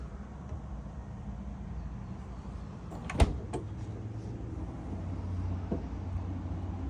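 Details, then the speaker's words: GE refrigerator not cooling: low steady buzz and beeping with a sharp click as the start device tries the compressor, which never spins up; compressor has an issue. "all right guys so I'm sure you've heard the beeping and the buzzing so what we doing now we're actually checking the start device and you can hear that it's beeping so that tells you that the compressor has an issue"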